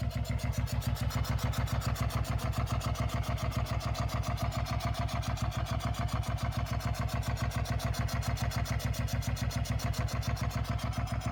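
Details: 2004 Suzuki SV650 at idle: rapid even low pulses with faint clatter on top; engine noise present, source unknown.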